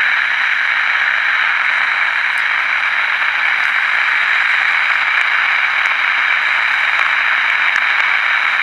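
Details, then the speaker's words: 1967 Zenith Royal 51 AM/FM transistor pocket radio, under repair: steady AM hiss with faint crackles and no station, because the antenna capacitor is too small for this antenna; searching for the right value, about 29 pF measured near 1260. "so obviously the capacitor that's in here is way too small for this antenna so I'm trying to find the right capacitor value"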